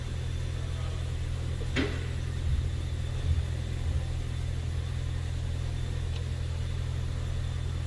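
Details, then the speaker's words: 2022 Ford Maverick Hybrid that had no crank, no start and no dash lights, after fixing the snapped eyelet on the rear battery power supply cable: smooth, even low hum at idle, no check-engine lights. Normal idle. "There we go. She's running. Everything's working."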